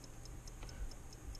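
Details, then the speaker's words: 1955 Ford original electrically wound dashboard clock, about 60 years old, revived with WD-40: crisp even ticks about four or five per second from the spring-driven fly gear; running properly. "there you go you can probably hear it ticking ticking away my little fly gear turning around with the spring on it"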